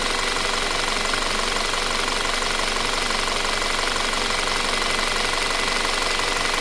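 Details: 2017 Audi Q5 at idle: steady, fast metallic ticking of about three per second over a busy, bright idle. Timing chain noise is suspected, not confirmed.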